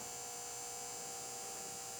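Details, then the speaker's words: Restored electroplater power supply on test, turned up to 10 volts at 10 amps into a load resistor (smoking): steady high-pitched transformer buzz with a clean hum line, even and unwavering under load, supply working normally. "you can hear the buzz so 10 volts 10 amps this one shows 8 volts"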